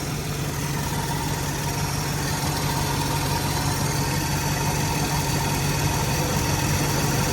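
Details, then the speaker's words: 1994 Mercedes E420 W124 with M119 V8 at cold idle: a coarse steady whir and droning rumble from the secondary air (smog) pump, which disappears when the pump switches off. Noisy air injection pump. "All right, the smog pump just went off. I don't know if you guys can tell, but that sound that was right out here that was real bad is not there."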